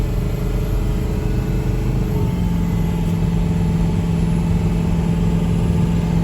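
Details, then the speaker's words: 2005 Ford F-450 6.0 Power Stroke dump truck that was skipping and low on power, after a fuel-pump fix, under load at less than half throttle with 22–23 psi boost and 56–57 mph: a steady diesel drone with no misses or knocks; runs healthy. "she seems to be running pretty good guys there's 56 57 mile an hour in a dump truck so I think that's pretty decent"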